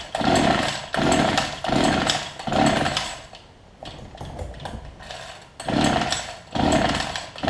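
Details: Homelite hedge trimmer after new fuel lines and primer bulb, running a 40:1 fuel mix: the two-stroke buzz rises and falls about once a second as the throttle is blipped and picks up cleanly each time. Running normally.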